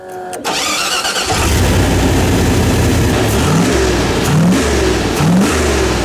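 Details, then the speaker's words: Cold small 350 test-running a carburetor set up for a 383, transfer slots opened wide: catches and holds a fast idle, then three sharp throttle blips. Idle won't come down because the T-slots are open too far. "fired up and I can't get the idle down in the lower because I got the T slots open up for a big motor"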